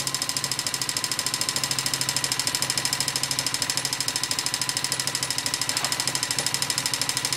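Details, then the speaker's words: Honda XLV 750 motorcycle at steady idle: sharp, fairly regular knock about three times a second over the engine from the front cylinder; top-end knocking noise, cause unknown. "Bon, comme promis, voici une petite vidéo sur le bruit de mon moteur."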